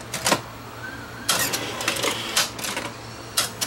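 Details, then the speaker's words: Sony VO5850 U-matic VCR with a swapped-in replacement video drum: after eject with no tape, it clicks and whirs as the threading mechanism drifts to a half-loaded position; loading tapes works fine, and a power cycle will probably unload it. "if I let it sit it goes to a half load like there's a tape in it but there's not"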